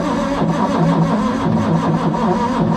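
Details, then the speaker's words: Ford Capri 3.0L V6 race car replica stored 20 years, first start attempt with fuel primed and manual choke: labouring, uneven slow cranking that never picks up, no firing; weak battery voltage dropping, starter not picking up. "Battery is not very strong. Dropping dropping down quite a bit. That battery starter motor. It's not picking up."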